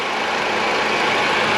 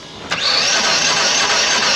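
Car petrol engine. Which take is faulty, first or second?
second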